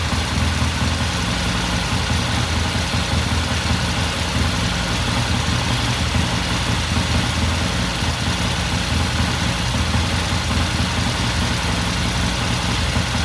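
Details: 1969 Triumph TR6 twin, warm idle after cold start; pilot air screw turned in half a turn after pilot jet cleaned. Steady, even idle, smooth low beat, no misses, stumbles or knocks; normal warm idle.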